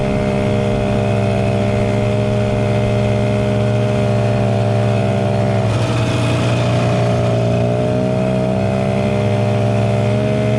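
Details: 1967 Ski-Doo Alpine twin-track snowmobile, revived after sitting many years, running on its own fuel on a 75° day: crisp two-stroke buzz climbs cleanly on a throttle blip and settles without stumbling; healthy normal running.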